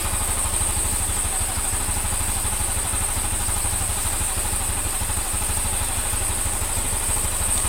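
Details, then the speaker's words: Honda Scoopy (Genio engine, code KOJ) after replacing the crankshaft bearing, connecting rod and valve seals, with sand-like residue found in the engine: a steady, even single-cylinder idle with no knocks. Normal idle. "Untuk sekupi jenis mesin Genio ini saya nyatakan selesai, mesin sudah halus, hanya dilakukan penggantian di bagian laker kruk as, kemudian stang shaker, kemudian seal klep dan sekur ulang."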